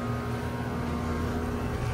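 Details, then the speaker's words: 2018 2-ton Goodman GSZ14 heat pump: condenser fan whoosh and steady drone with no compressor hum. The compressor is not running and sounds weak when it tries to start, not on thermal overload, and the suction line is not cold; the cause is unknown. "But yeah, it's only the fan. See, no compressor."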